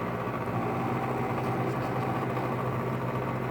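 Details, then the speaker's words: LG 5,000 BTU window air conditioner running in the afternoon with sun on the condenser: steady compressor and fan hum with a fine buzzing rattle over it. Most of the noise is a loose front panel vibrating against the unit. "Okay, so yeah, most of that noise is actually coming from the rattle right now. So it's not horrible."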